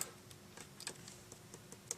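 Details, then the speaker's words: Gemstik joystick refurb: crisp, snappy dome-switch clicks at an uneven pace after the domes were re-stuck onto the PCB with fresh tape. They now give a positive click they lacked before. "Yeah, both of them I can actually feel a nice positive click now that I wasn't getting before, so I'm quite pleased with them."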